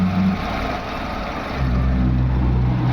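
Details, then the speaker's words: VW Vento petrol engine after fitting another ECM, replacing the original one that gave no pulse to cylinder 1 injector: pulse now present and idle is even and steady, rising briefly and settling. Misfire fixed; normal idle. "अभी मैंने दूसरा लगाया है। Current आया आने लगा है और इंजन भी स्मूथ हो गया हमारा"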